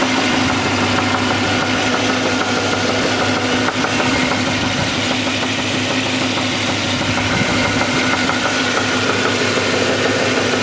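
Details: SS (per title) idling, belt removed to rule out accessories: sharp metallic knock about three per second keeping time with the engine, louder underneath; connecting rod knock.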